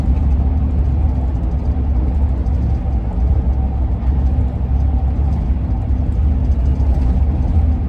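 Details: 2001 Ford van at cruising speed off the freeway: steady low road rumble with an even droning hum above it, a wind howl the owner suspects comes from the roof rack.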